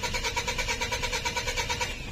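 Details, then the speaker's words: 2013 Mitsubishi Strada/Triton with codes U1504 and B1707: starter cranks steadily at about seven beats a second but the engine never fires; crank-no-start caused by a faulty immobilizer antenna. "So, pag in-start mo to, pag in-start natin to, so, ganyan lang siya mga kasingkit. Nag-i-start, nagka-clank siya pero ayaw umandar."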